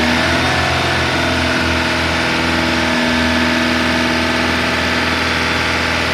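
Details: Chevy Malibu with Ecotec engine: uneven idle with an irregular, lumpy beat and stumbles, plus backfire and smoke from the valve cover area; timing chain has skipped teeth, leaving it out of time.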